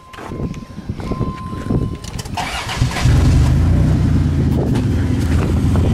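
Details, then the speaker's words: Van with stock muffler before replacement with a Flowmaster: engine cranks and catches, then settles into a loud, raspy, uneven low rumble from a leaking muffler. "that's a leaky Muffler and now that's going to change"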